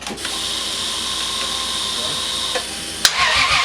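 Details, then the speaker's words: Big-turbo Lexus GS300, first start attempt after a year and a half down, fuel pressure about 42: starter spins the engine evenly at about three turns a second but it never catches. No spark because the coil packs are unplugged. "Oh, I didn't put the coil packs in. This fool."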